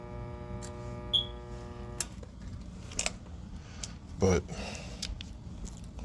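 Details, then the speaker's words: Goodman gas furnace, no-heat call, thermostat calling for heat with jumpers: steady electrical hum with no spin-up, then clicks; the inducer motor gets power but is locked up and not turning, with no fault codes on the board. "She's locked up. Hear that? Power is definitely getting to this motor, but it's not turning. That's not good."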